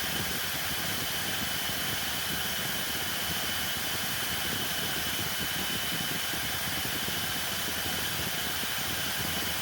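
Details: Hoover Elite Rewind Plus upright vacuum after repair and reassembly (extremely rusty belt shaft): steady, even high-pitched whir with a faint constant whistle, no knocks or rubbing; motor and brush roll run healthy.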